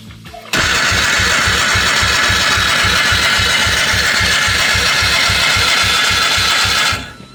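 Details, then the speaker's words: Polaris 300 two-stroke ATV, non-functional oil injection, after new boot and oil line, oil added to cylinder, starting fluid in plug hole: fast, even starter churn about four beats a second, no firing; compression only about 50, likely the cause. "no luck no luck it would not start we got starting fluid in the spark plug hole compression still only about 50 that's probably our problem"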